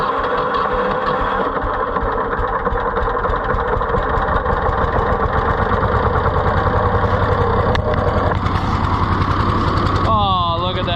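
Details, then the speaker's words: Neglected auction Ford 4000 tractor at first start, flooding: uneven lumpy idle never settling into smooth rhythm; runs rough, no throttle action, governor seriously wrong, carburetor butterfly in poor shape. "something is seriously wrong with our governor Lincoln we have like no throttle action of any kind"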